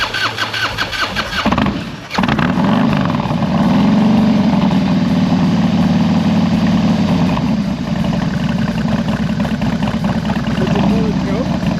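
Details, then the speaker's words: 2001 Harley-Davidson FXDX V-twin with carburetor work and new straight pipes, cold engine, first start, untuned: cranks and catches, then loud lumpy but even idle, choke off, warming up, no popping or misses; healthy. "But right now, choke's off, it's idling pretty good, it's warming up."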